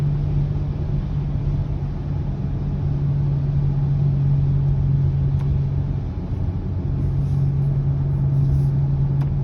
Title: 2020 Subaru Ascent low humming noise - #3